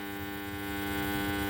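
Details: Amplifier with FT003 HDMI ARC board added: steady buzzy hum from speaker, stops after adding 1000µF 25V capacitor at the supply/regulator input; mains hum from insufficient power-supply filtering.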